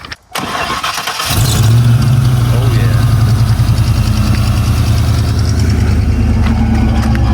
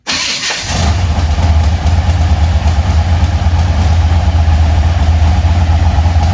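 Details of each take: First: 1980 Chevy C10 with 377 stroker V8, Edelbrock AVS2 carb, Cobra intake, MSD ignition, small cam: quick crank and catch, then a deep, even, lopey idle with no knocks or misses; normal start and idle. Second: 1980 Chevy C10 with a 377 stroker, Edelbrock AVS2 carb, MSD ignition and new plugs, firing order correct: a lumpy, uneven idle as if missing a cylinder. Valve-train noise prompts a suspected solid-lifter cam.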